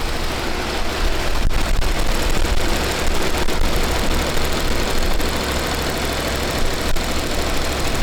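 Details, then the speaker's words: Chevy Nova V8 with newly fitted high-rise intake and knockoff carb: lumpy idle with a faint, uneven light tapping on top, valvetrain ticking; a rocker was found really loose, though this tap isn't clearly confirmed as that. "rocker that's really loose."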